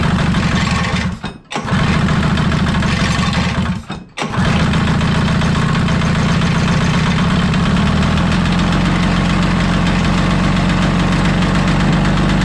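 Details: 1983 Polaris Indy Trail 440 two-stroke snowmobile, barn find revival: two pull-start attempts cut out, then catches and runs lumpy and uneven at low revs; owner suspects too much fuel, possibly gasoline in chain case oil; unconfirmed.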